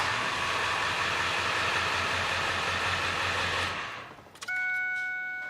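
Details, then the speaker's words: Ford 7.3 Powerstroke diesel after replacing battery cables with new lugs and terminals; starter turns the engine over quickly and evenly without dragging; normal fast cranking, starts better than ever. "that sounded good it was spinning over fast"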